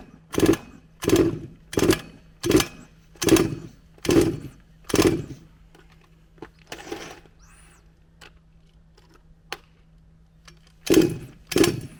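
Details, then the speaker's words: HPI Savage Octane petrol RC car, second run on a cool 9° morning. Short raspy bursts about once a second that fade and stop dead, then two more; the engine cuts out, and the owner suspects ignition rather than fuel. "yeah def definitely sounds like an ignition problem not a fueling or carburation problem just a way that it runs and it just stops as if the spark stops"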